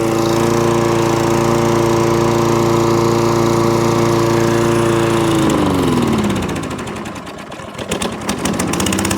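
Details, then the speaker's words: Toro Recycler lawnmower started on choke with the dead-man bail held: steady drone for five seconds, then revs sag, hunt and nearly die before picking back up; hunting, surging and cutting out, traced to a partly blocked carburettor main jet. "so that's what it's doing hunting a couple of hunting surge and cuts out"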